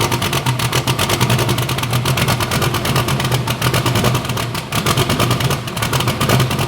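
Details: Bibbster hot rod V8 at idle, first fire-up after finishing the cooling system. The tune was richened to cure a slight idle surge and now runs fat; the cold-start setup may need changing. Steady, even beat with crisp throttle blips and no misses: normal idle.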